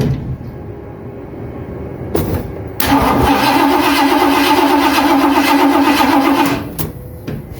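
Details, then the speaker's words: Carbureted first-generation Mustang V8 during compression test, reading 125 PSI: steady rhythmic cranking, somewhat slow and laboured with even compression pulses; starter a little tired but compression fine. "Here, you can hear the starter a little bit tired, and it's making 125 PSI anyway, so that's fine."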